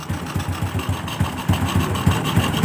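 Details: Freshly rebuilt Honda Revo Absolute engine idling during break-in: small single thumping steadily with even pulses and no hiss or rattle; clean, healthy idle.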